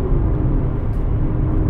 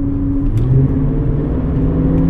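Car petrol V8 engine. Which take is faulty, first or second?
second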